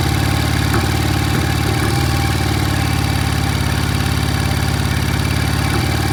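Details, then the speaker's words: 1968 BSA motorcycle, just kick-started cold: uneven loping idle with irregular thump about three to four per second, won't idle; one lazy cylinder suspected, not firing cleanly, cause unconfirmed. "Sounds like we got a lazy cylinder. Yeah. Huh. It doesn't want to idle."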